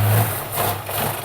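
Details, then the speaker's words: Mk1 Ford Capri 2.0 with Pinto engine, carb primed by hand: runs with a low uneven beat, surges once, then dies; it should have run out of fuel in the float bowl, fuel not yet being pumped up. "it conks out. Should have run out of fuel in the bowl, and he."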